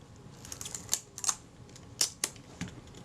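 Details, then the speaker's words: Kodak Retina IB type 019-II after servicing and reassembly with the top refitted: crisp, clean shutter clicks and advance snaps with no drag, buzz or hesitation; shutter and advance work normally. "That's all working nicely, and I'll close this up."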